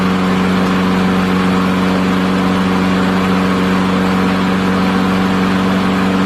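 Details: Revived neglected old push mower running a steady, even drone at constant speed with no misses, knocks or surging; owner says it still starves a little for fuel, assuming some junk remains.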